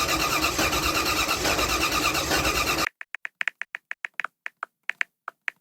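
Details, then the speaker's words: 1975 Datsun 280Z with swapped 358 small-block Chevy V8, Megasquirt 3X ECU: about three seconds of steady cranking that never catches, then scattered clicks; won't fire due to ignition wiring error. "right time to get you guys caught up there has been a lot of diagnosing going on with the car uh the biggest thing is actually wiring"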